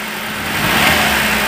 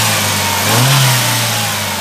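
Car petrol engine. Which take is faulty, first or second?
first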